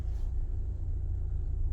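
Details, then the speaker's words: Mahindra XUV700 AX7 automatic diesel, about eight months old, taking a left turn: only a low, even road rumble with no clunks, creaks or knocks from the front end; the suspension is normal. "कोई आवाज़ नहीं है कुछ नहीं"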